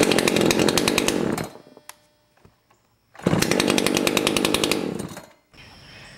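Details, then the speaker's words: Echo CS 590 two-stroke chainsaw after low screw backed out about two quarter turns: revs sharply from idle to full scream with no hesitation, drops back, snaps up cleanly again; snappy normal acceleration, easy starting. "And that really seemed to make the acceleration very snappy, and that's what you want to pay attention for. You don't want any hesitation whatsoever. You want it to really accelerate nice and quick, and it should start very easily with barely even a full pull."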